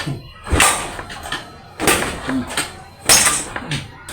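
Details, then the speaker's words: Yamaha Mio scooter engine that dies and lost compression; cranking with oil squirted into the spark plug hole and the hole covered by finger: sharp strong air puffs about every 1.5 seconds, sign of compression leaking past rings. "Oke teman-teman terdengar ya suaranya kencang tidak seperti awal ya itu berarti Ci ee itu ciri-ciri kompresi bocor ya"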